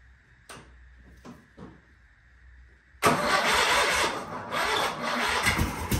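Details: Sears Craftsman FF24 twin-cylinder engine, removed from tractor, after replacing coil and adjusting points: a few faint clicks, catches at three seconds and settles into a busy, even run; starts and runs fine, though oil then leaks.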